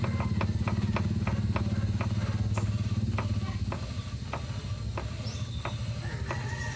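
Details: Ford EcoSport at idle in neutral: sharp clunks about three a second, evenly spaced over a low idle hum; clunking in neutral, cause unknown.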